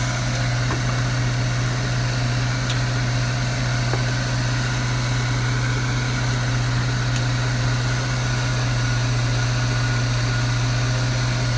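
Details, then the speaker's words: Truck at idle after replacing squeaking old alternator belt with thicker heavy-duty belt, voltage now about 14.8: steady even low hum, no squeal or chirp; running smoothly. "car battery and I gotta say this is running so smooth"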